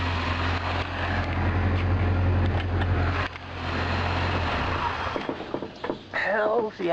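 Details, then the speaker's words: 1980 Triumph TR7 with self-rebuilt engine and new carburetors, water pump still needing replacement: low steady idle hum with slightly uneven pulses; still runs a little rough and needs carb tuning. "still runs a little bit rough right now but i am going to dial it in and eventually it will run pretty good i think"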